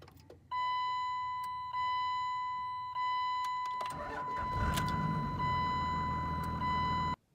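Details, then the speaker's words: Cummins diesel truck on second tank of fuel dosed with two-cycle oil for injection pump lubrication; chime at key-on, then cranks and catches into a loud, clattery but even cold idle measured 87.5 dB max; normal cold start. "with the cold start up it was actually eighty seven point five decibels of max rating of eighty seven point five decibels"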